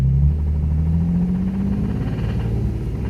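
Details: Nissan 350Z engine with a spun bearing revving: deep rumble with a heavy rapid knock under it, which began as a minor tick and grew to full knock; rod knock.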